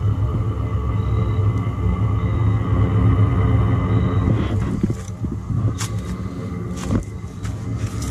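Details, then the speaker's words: Chinese diesel heater in a 1981 GMC school bus, straight-pipe exhaust with muffler removed, first start after sitting all summer: steady low burner and exhaust roar with an even pulsing beat, no misfires or sputtering. Burning cleanly. "so you saw how easy it fired up that's the first fire for the year so it's been setting setting all all summer and it fired right up"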